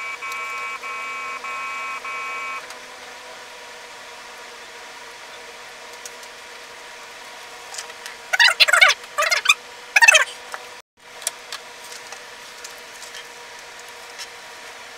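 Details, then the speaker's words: Atari 410 Program Recorder with replaced belts, connected to an Atari 800 and loading Preppie II: a run of steady high tones, then bursts of data chatter; the program loads cleanly. "pull down the star button turn it on press play and now we're loading it"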